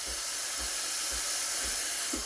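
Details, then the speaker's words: Breville Barista Express BES870 steam wand purging cold water and built-up steam with a steady, even hiss, no sputter or pulsing; a normal purge before steaming milk. "me it'll give out the cold water the built up steam inside and then it'll start steaming"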